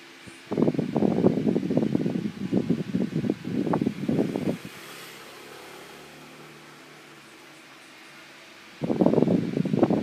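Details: Asahi LS-9004 desk fan, AC shaded pole induction motor with stuck shaft and noisy spinning from lack of lubrication; fast uneven rattling clatter stopping and restarting, worn bracket bushing needing replacement.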